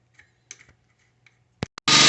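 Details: Husqvarna PW 3200 power washer that would not start from year-old varnished fuel, after cleaning and reassembly with fuel added; a few soft clicks and pulls, then the small engine fires and settles into an even, steady run; runs normally.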